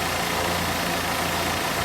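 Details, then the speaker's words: 1990 Plymouth Acclaim after fixing the vacuum leak that caused a ridiculously high idle: engine now idles at a steady, settled speed with an even hum and no surging. "Arlo is back to being a well-mannered baby again Harlow yay and now the idle properly"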